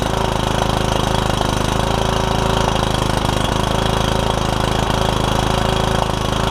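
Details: Kohler Courage single-cylinder on a Troy-Bilt Super Bronco lawn tractor with a cracked block, first start with fresh battery and gas, hood off; uneven thumping at fast idle, beat wandering. Owner suspects it needs carb work.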